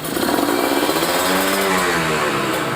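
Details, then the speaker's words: Kawasaki Ninja 150RR two-stroke with a booster/ground cable, blipped to 6,000–7,000 rpm: crisp with only a faint stumble, less than the earlier rich setting. The carburettor setting is lean, especially when hot. "Apalagi kalau dibawa panas-panasan, ini sangat-sangat kekeringan."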